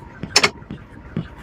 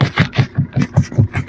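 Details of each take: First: Maruti Suzuki Brezza after steering box replacement, wheel turned lock to lock with engine running: only brief tyre scuffs on the floor, earlier ticking from the rack gone; normal steering operation. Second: Maruti Suzuki Brezza, engine idling while steering is turned side to side: steady train of dull low clunks about five a second; worn steering rack knock, fixed by replacing the steering box assembly.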